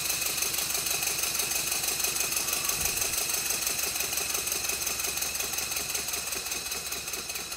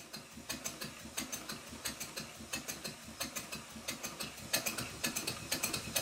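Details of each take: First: Rebuilt Stuart Twin Victoria steam engine running on a baseboard set on bubble wrap, after a timing tweak and re-oiling all moving parts: light, even ticking at about three per second, no knocks or rattles; normal, smooth running. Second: Stuart Twin Victoria steam engine being rebuilt, run on compressed air test: quick, sharp, slightly uneven metallic ticking a few times per second from a loose crosshead pin. The engine is still stiff; thread lock on the pin fixed it.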